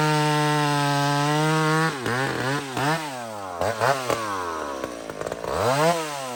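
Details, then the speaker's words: Chainsaw run at full revs in the cut, screaming at a steady pitch, then dipping and recovering repeatedly. It was first set too lean, then richened, and now pulls cleanly on a safe, slightly rich mixture. "now friends I'm going to show this listen we're going to go up listen to it sing here"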